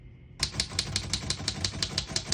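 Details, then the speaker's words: 1935 Royal O Model portable manual typewriter, single line spacing: crisp even key strikes about six a second, none skipping or sticking. Healthy key action. "you can see, all the keys type nice and none of them skip or stick."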